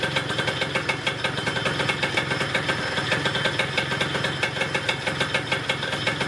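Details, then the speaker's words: Yamaha Neo's 50 scooter, 50cc two-stroke, running after service (new hoses, air filter, spark plug, 2-stroke oil): steady fast idle with even crackly buzz and no knocks or misses. Healthy idle. "great news it starts it runs it sounds pretty good"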